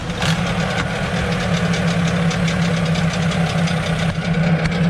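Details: Suzuki 15 HP outboard, hard to start after sitting unused, runs at a steady fast idle with an even pulse and no misses or knocking after carburetor cleaning; the fault was only a dirty carburetor, now running normally.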